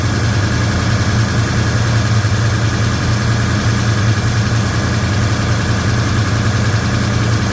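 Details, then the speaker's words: 1956 Chevy Bel Air with a Chevy 307 V8 and a new Holley 4150 double pumper, at first start with timing advanced and idle raised: fast, even ticking over a lumpy idle, unusually loud. Noisy valve train, owner unsure why. "but that valve train sounds loud. Loud, loud, loud, loud. That's unusual. I don't know why the val train's so loud."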